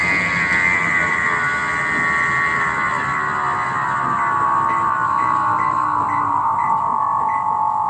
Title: Image 15.5s treadmill with bad motor bearings